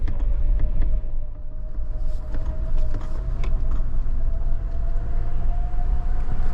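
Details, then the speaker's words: Toyota Land Cruiser 200 series in low range on an easy dirt trail at crawling speed: steady mid-pitch low-range transfer case whine over engine and tyre rumble; normal. "hear that whine? That's the no range gearbox one, and I think it sounds quite cool."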